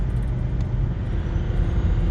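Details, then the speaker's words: BMW E61 diesel, 500,000 km, first test drive after repairs, inside car; deep rumble pulling hard under load, turbo audibly spooling and building boost, though a boost controller fault code was later logged. Turbo spool under boost. "Yeah, I can hear the turbo. Ooh."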